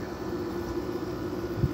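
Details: 5k Kenmore window air conditioner installed in a garage, dropped back to low fan speed. Steady low, even hum with a soft airy hiss and no knocks or rattles. Normal fan operation on low.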